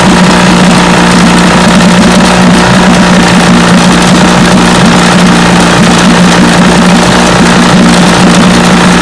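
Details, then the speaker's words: Vintage Johnson outboard that missed at high speed, after replacing pitted new ignition points with another new set: smooth, even drone at steady speed, no misses, firing on every cylinder. "i believe that was the problem that's more steady running easy yep that was the trouble points"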